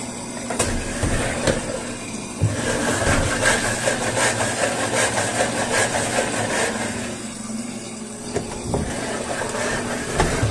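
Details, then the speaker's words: Washing machine (customer reports loud noise on spin cycle) with the basket turned by hand: uneven scraping and clattering that only occurs when the basket moves, from a foreign object trapped between basket and tub. "como en este caso el ruido solamente se genera cuando muevo la canasta lo más probable es que sea algún objeto extraño dentro de la canasta"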